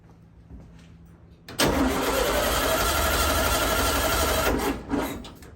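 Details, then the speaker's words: 1964 VW Beetle, primed with gasoline, original fuel pump suspected: about three seconds of steady even cranking with regular compression pulses, never catching; crank, no start, no fuel delivered. "doesn't sound too happy in there does it and still no gas had some issues with this fuel pump"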